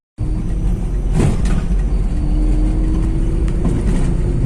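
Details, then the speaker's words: Volkswagen Polo 1.2 MPI road test after repair for low pickup, jerking and misfire, engine oil changed and parts replaced: steady, even engine hum with a faint climbing tone, no misfire or jerks; pickup normal. "कुछ भी problem नहीं है pickup गैरे में बिंदास निकाल ले रहा है"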